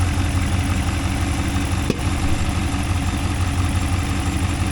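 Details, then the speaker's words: Freshly rebuilt and deleted GM 6.2 L86 V8, first start after install, oil pressure about 65 psi, 7-month-old gas: deep, even idle with steady low rumble, no knocks or ticks; smoke likely from oil spilt on manifolds. "It sounds good. It sounds really good."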